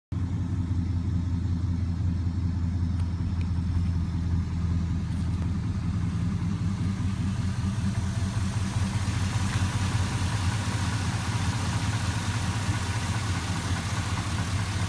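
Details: 1988 Chevy with LS swap idling: deep steady V8 rumble with a loose repeating knock ticking through it; cause suspected, not confirmed.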